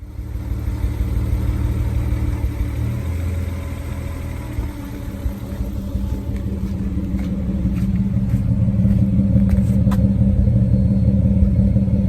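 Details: Nissan Skyline R32 drift car that quit drifting at an event: a lumpy, uneven engine note with a stumbling beat under load, breaking up instead of pulling cleanly. The engine is misfiring.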